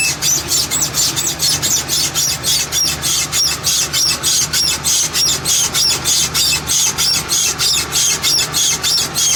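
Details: 2007 Chevy Express: a sharp, rhythmic chirp or squeak about three times a second, in time with the rolling driveshaft. The universal joint is going bad.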